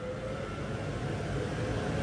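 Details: Church organ blower (nicknamed Dave), unused for about 25 years, feeding air into the bellows (Trisha) on its first run: a steady low drone with a faint constant hum above it and no knocking or scraping; the blower runs smoothly.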